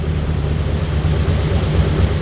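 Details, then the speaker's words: 1935 Ford convertible sedan idling right after a cold start with a little choke, battery on trickle charger: steady low even idle, smooth firing, no misses or knocks; normal idle. "It fired right up. Took the choke off."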